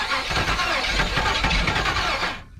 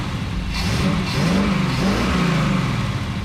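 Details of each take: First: 1977 Chevrolet 4x4 project cranking on old fuel; steady cranking churn with a few weak catches that never fire, so a spray of starting fluid is planned. Cranks but won't start. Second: 1977 Chevrolet 4x4 small-block V8, long-sitting project just fired up, slight smoke from lube burning off: engine rises and falls smoothly through several blips, even exhaust note, no knocks or misses; healthy revving.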